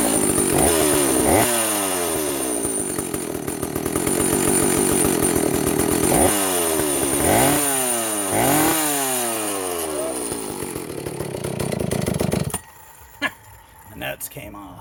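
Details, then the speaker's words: Vintage Jonsereds 70E chainsaw, cleaned, with an unknown replacement cooling fan, started without its top cover. It smokes from oil put down the cylinder. Crisp two-stroke revs through quick throttle blips, picking up cleanly; normal running. "look at that she's a runner she's smoking because I put some oil down the cylinder when I first got it"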